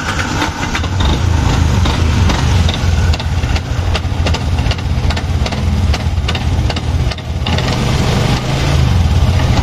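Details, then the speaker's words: Yamaha Jupiter MX King with noisy starter and no steady idle, held running on a little throttle: loud uneven rattly idle with irregular clattery bursts; rough engine noise accompanying a noisy starter, cause under analysis. "di gas setengah dikit yang penting nggak mati ini suaranya kasar"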